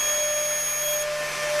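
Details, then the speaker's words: Upgraded ZVS driver Mk3.0 running a high-current transformer into a nichrome load, brought back up at 10 V: piercing steady whistle over a buzzy hiss, a sound that changed abnormally from before; cause unknown, settled again by 20–30 V. "that doesn't sound right. What happened? Oh, they're cold. No, maybe? Sounds weird. Why is it such a different sound now?"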